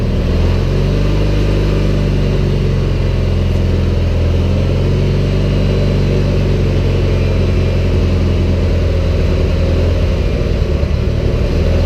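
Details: Cub Cadet 1811 warmed up, after an oil and filter change, with a battery and charging fault: a low, uneven idle sagging as if about to stall, unable to hold a low throttle setting while the lights flicker.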